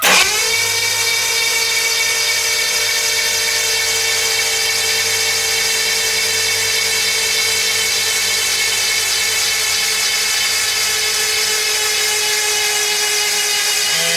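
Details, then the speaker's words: 1975 Jaguar XJ6 six, reassembled after head rebuild by machine shop: plugs out, high steady starter whine with no compression or firing, cranking to build oil pressure before first start. "so it's really nerve-wracking i think the first time you've cranked something over just looking out for weird noises and stuff but hopefully we don't have any of that"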